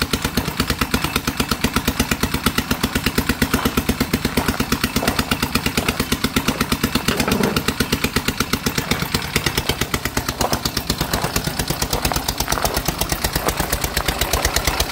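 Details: Dongfang 4-seat go-kart small engine after carburetor replacement and tuning, and after tightening loose exhaust nuts. An even, quick putter for about fifteen seconds before shutoff, with a quiet exhaust note and no rasp or leak; normal idle.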